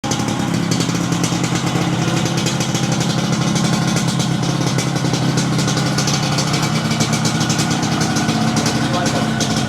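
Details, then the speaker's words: Motorcycle with new engine block, new tyres and serviced carburettor, idling at night: quick even putter, steady, no knocks, ticks or misses; sounds like a new bike, healthy. "Oh, bunyi dia Sip. Bunyi motor baru Tayar baru kan?"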